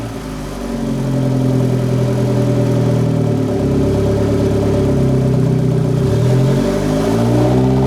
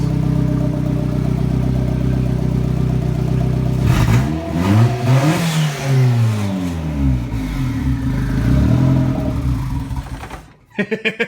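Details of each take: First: Turbo-build car, downpipe fitted, started while adjusting idle for ECU regulation: steady, even idle, slightly lower than usual, with clean blips rising and settling without stumbling or bogging; engine healthy. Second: Turbo-build car: engine runs, surges unevenly and dies about ten seconds in; cause found as a loose, untightened intake pipe connection completely off, giving a major air/vacuum leak that killed it every start.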